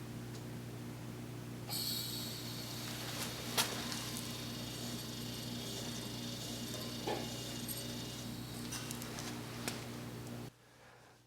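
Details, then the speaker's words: Seven-year-old Generac LP3250 propane generator that won't start despite compression and spark: faint steady propane hiss with engine off, stopped by thumbing the low-pressure line to the carb; no high-pressure leak; regulator 0J5785 suspected of not shutting off. "gas was flowing put my thumb on the low pressure side going to the carb and the noise goes away so that's good at least there's no breaks"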